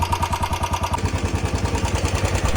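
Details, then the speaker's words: Royal Enfield Bullet 350 BS6 about four years old at idle: single-cylinder thump with a light, fast tick on every beat, likened to a generator or tractor; owner suspects the hydraulic tappets; low oil starving them. "आप सुन रहे हो ना भाई कैसे एक अजीब सी आवाज आ रही टिकट मतलब पूरा ऐसा लग रहा है भाई जैसे जनरेटर है ट्रैक्टर चल रहा हो"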